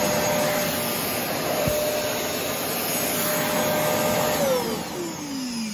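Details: Pink Shark DuoClean vacuum, motor reportedly iffy, switch possibly stuck: even rush of air and steady motor tone winding down smoothly, no rattle or grinding; motor runs normally.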